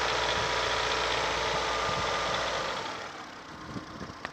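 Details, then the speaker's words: Ford Fusion, Duratec 1.4 engine, 118,000 km, fast idle around 1800 rpm with a regular light tapping about three to four per second through the engine note; the owner suspects the valves. "Ну это клапана явно. Клапан."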